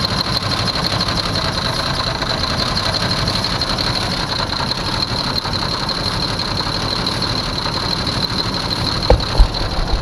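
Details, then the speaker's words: 1982 Jeep Cherokee with carburetor, first start in years after sitting, running on brake cleaner sprayed into carburetor: fires up and settles into steady run, no obvious knock or misfire; fuel system later found clogged. "Woohoo! It runs! Thank you, thank you, thank you. Thank you very much. It fires up. Sounds good."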